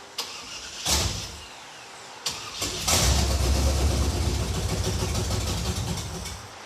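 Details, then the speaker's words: After priming, the engine cranks briefly, catches and runs roughly for a few seconds, then sags as fuel runs short. The mechanical fuel pump is believed not to be picking up gasoline from the tank because of a subtle leak at the fuel filter. "what we think just happened is that the mechanical fuel pump is not picking up gasoline from the tank because there's a leak right here at the fuel filter which is really subtle but"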